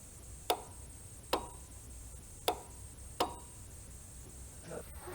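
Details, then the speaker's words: Off-road light relay on a project Renegade during switch wiring, no fuse fitted so no output: four crisp single clicks about a second apart as the relay coil actuates cleanly each time it is switched; relay functioning normally. "All this is just the relay, the coil inside the relay actuating. I don't know if you can hear that in here, but you should definitely be able to hear it out there."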